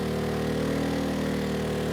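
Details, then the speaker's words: ERAYAK 3500 W tri-fuel inverter generator on propane, load pushed past about 3,300 W to roughly 3,400 W; steady drone sags in pitch as the engine slows, running out of horsepower; propane gives about 10% less power than gasoline. "sounds like we are running out of horsepower 33 about 34 yeah the engine's slowing down so let's turn some of these off"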